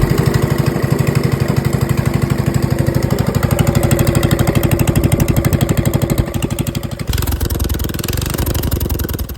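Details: Rebuilt Honda GX270 with new crank, coil and side cover, converted from gear reduction to a stock crank, on a RealTree RT200: single-cylinder running with sharp backfire pops about three a second, easing near the end; cause not confirmed.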